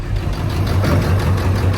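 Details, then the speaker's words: Ford F550 with the 7.3L Powerstroke diesel, started on gasoline fumes from rags over the intake, not yet warmed up, ICP a little high at idle: deep, lumpy idle with uneven thumping that surges at times. Rough idle, cause unknown. "Well, as you can see, I got it running, but it's running really, really rough, surging at times, but I'm gonna let it warm up and see if any of our parameters change."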